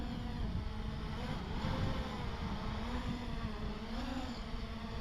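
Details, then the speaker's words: Diatone Roma F7 7-inch quadcopter, 2808 motors, first flight in wind after good pre-flight hover test: steady propeller buzz with pitch wobbling unevenly as it jerks in hover; twitchy, likely needs tuning, cause not confirmed. "does it lift off it was it's twitchy oh my god it's twitchy"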